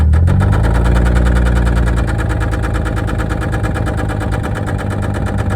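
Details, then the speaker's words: 1989 Toyota Supra abandoned for 8 years, idling with only 10 psi oil pressure: a heavy, steady low thump of about 220 a minute under the exhaust note, a very bad rod knock; the engine needs replacing. "So it was at this point in the video when obviously it's been clear that the reason this thing was parked was because of a very bad rod knock."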